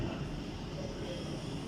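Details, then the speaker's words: Remote controller cooling fan after repair: the new fan replacing the old one spins with a continuous low, even rumble, no ticking or scraping; cleaning the old fan had not fixed the malfunction, so the fan was confirmed as the fault. "Now the fan is moving well."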